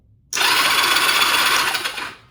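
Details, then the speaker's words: 1999 Honda Rebel 250 twin, oil in cylinders, plugs connected: starter spins engine with a high, even whir under two seconds; earlier click possibly from dirty switch contacts, but starter cranks normally. "Seemed like it clicked before but it could just be cuz the contacts on the inside of here are dirty but we got crankage."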